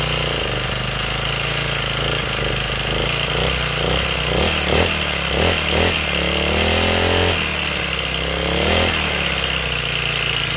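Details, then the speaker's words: Honda GX35 brushcutter engine revving high before valve adjustment: harsh, uneven clatter from the valve cover over the buzz; exhaust valve clearance was set to the 0.13 mm spec, reducing the noise slightly. "เสียงลักษณะมันแก๊กๆๆๆๆๆๆดังแบบว่าเสียงกราวกับเสียงมันดังแบบไงล่ะครับบอกบอกไม่ถูกครับ"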